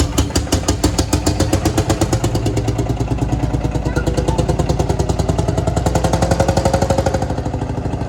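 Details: Field Marshall Series 3A single-cylinder diesel on its first start after a rebore and oversize piston, fitted after a piston ring snapped, likely from bore pitting. Crisp, evenly spaced thumps at around eight a second, steady and unbroken; normal running, better than before.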